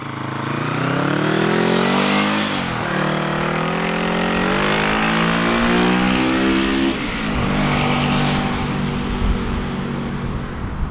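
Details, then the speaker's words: Vintage Honda twin (CB350/360/450 family) after Shockwave electronic ignition install and strobe timing: clean even revs to redline and back twice, no misses or knocks; running well. "brought the engine up to redline everything seems to be running and working great on it"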